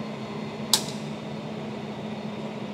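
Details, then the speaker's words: Marunaka blade grinder first run on three-phase power from an Onan generator via an extension cable: quiet, steady motor hum with a constant tone and one sharp click, smooth normal running. "all right let's see if this grinder works lights on that's good oh that is cool oh it's so quiet"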